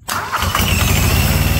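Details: Comfort Pro truck auxiliary power unit, small diesel engine with generator, glow-plug start with throttle lowered: quick crank, catches and settles into even rapid putter; starts and idles normally.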